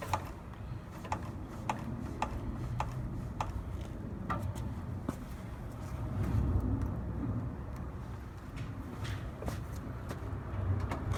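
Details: Fox Float 32 Evolution fork compressed on trail setting, then descent, then trail again; sharp hollow clunks about every half second, sound changing between settings; a knock inside the fork, cause unclear.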